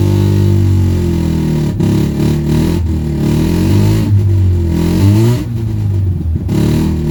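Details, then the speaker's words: '84 GSL rotary just after a used-engine swap: uneven, lumpy note with dips and surges at low revs, running on one rotor. Rear carburetor fuel bowl is suspected of not getting fuel; not confirmed. "okay got the swap done on the gsl it's having some carburetor issues so unfortunately it is running on one rotor best i can tell it's not getting fuel in the rear fuel bowl"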